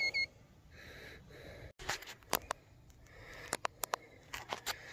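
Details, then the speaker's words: Greenworks 80V battery chainsaw after five cuts through oak slabs, charge getting low: short high-pitched beeps in irregular bursts in a quiet setting; warning beep for over-temperature or low battery. "You hear that beeping? That's over temp or low battery. So let it cool"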